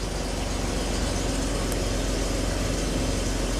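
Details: 2005 Jeep Wrangler after a crank-no-start, idling; it had an intermittent oxygen sensor code before. Steady low rumble with an even, unbroken beat, no knocks or misses. Normal idle.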